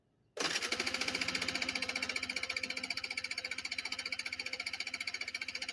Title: my bike wont start :c